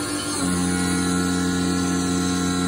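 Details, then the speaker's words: Haas Mini Mill cut: steady hum turns within half a second into a sustained singing tone with rough undertone; vibration chatter, cause unknown, possibly handled by lowering spindle speed. "Now here we're gonna start vibrating. Yeah, that's the weird thing. So that's not a good sound generally."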